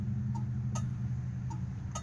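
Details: Original low-mileage 1969 Dodge Dart four-door, back in running condition after sitting since 1988. Crisp, even flasher ticks over a low idle with a regular on-off beat; the left turn signal works, so the flasher is operating normally.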